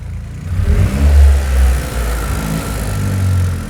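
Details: Toyota GR Yaris Rallye G16E-GTS after fitting Weldspeed cast aluminium intake plenum and Kelford cams: clean start, then crisp free-rev blips rising and falling smoothly back to steady idle; no hiss, whistle, stumble or leaks, healthy.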